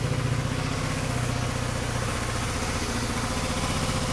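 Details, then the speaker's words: GY6 scooter after starter repair (starter was quarter full of oil with a shorted winding, causing hard cranking, hot starter and battery drain): fires right up and settles into a steady putter, about three beats a second, no grinding or dragging; normal idle. "okay it's all back together I'm going to give it a try I got this taped so I have to hold it like hold the camera go on fires right up"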